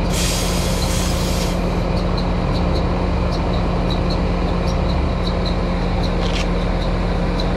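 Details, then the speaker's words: American Standard condenser checked for no-cooling complaint, pressures OK: loud steady hum with a rough, scratchy whirr from the fan; condenser fan motor bearings are failing. "thank you fan motors going out you can hear the bearings in that fan motor they do not sound good"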